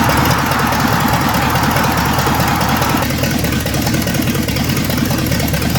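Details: 1965 Ford Thunderbird with FE 390 V8, just restarted after troubleshooting: steady, even idle with a low regular rumble, no knocks, misses or ticks; normal idle.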